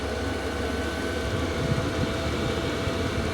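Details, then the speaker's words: Cheap diesel heater in workshop, about six degrees with door open, starting up: pump ticking in full mode, even low roar with steady fan whine, no knocks or rattles, starting to give output; normal diesel heater run-up. "so that is the pump now in the full mode the pump is still working I can hear that ticking over and now we're starting to get output"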